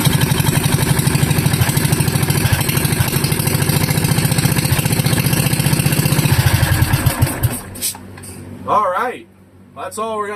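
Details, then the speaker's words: Wisconsin Model AB engine with open flywheel (shroud off, damaged), not yet hot: strong, even firing at steady speed for six seconds then shuts down; no knocks or misfires, nice strong-running engine. "okay, this seems to be like a nice running engine. Good, strong running engine."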